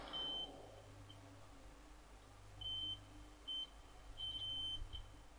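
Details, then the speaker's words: Multimeter continuity test on an LM383 chip amplifier board: the beep cuts in and out unsteadily, showing a bad solder joint at the snubbing capacitor, suspected of causing high-frequency oscillation; it is to be resoldered. "I don't think there's a very good connection here normally where there's a good connection you'll hear the meter beep"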